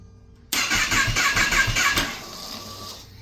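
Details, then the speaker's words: Salvaged 2018 Kawasaki ZX-10R that won't start: starter churns in quick pulses for about a second and a half, engine never catches, then a thin whine lingers from somewhere up front; source unknown. "so that sounds bad obviously but you can hear that whining noise not 100% sure where it's coming from yet but somewhere up here there's that whining noise"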